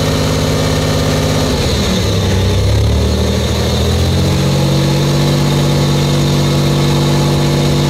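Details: Buick Grand National, new engine, second 10-minute cam break-in run: revs rise and fall briefly, then settle into a steady fast idle with an even note and no knocks; normal.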